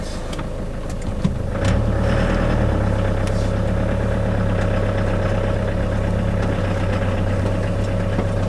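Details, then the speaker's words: 2002 Iveco Daily camper van with a new prop shaft UJ and centre bearing, driving with the window down: steady diesel drone and road rumble with no squeak rising with speed. The old horrendous squeak is gone; driveline quiet. "I've not got the horrendous squeak anymore"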